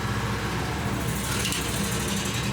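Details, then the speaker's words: Generator mounted on a bucket truck, started through a homemade choke/on/off switch, running fast and steady with an even buzzing note and no misses or knocks. The generator is running normally. "so when I hit that to the middle that chokes it you can hear it starting okay once it starts we did enough it turns off the choke"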